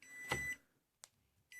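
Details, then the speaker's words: Koolpuck Qi wireless phone charger: half-second high-pitched beeps about every second and a half in a quiet room while lights flash green and blue, warning that phone and charger are misaligned. "this here is what happens when it is not lined properly you will hear a beeping and the lights will constantly Flash from green to blue to indicate that the charger and the phone are not aligned properly"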